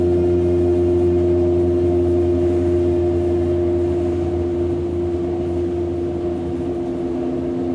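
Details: Hamburg U-Bahn DT5 343-1 train slowing: loud steady droning electric hum with strong mid tone from the traction motors; suspected worn motors, unconfirmed.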